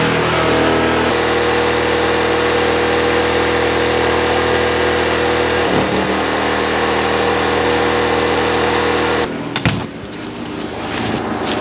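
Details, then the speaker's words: PowerSmart 2200 watt inverter generator under load as a compressor engages (about 300 watts steady), mic just outside the door; steady drone holds speed, handling the surge without stumbling. "all right so y'all heard the generator kick in actually this wasn't nearly as hard on the generator as that refrigerator was but it handled both of the surges no issue"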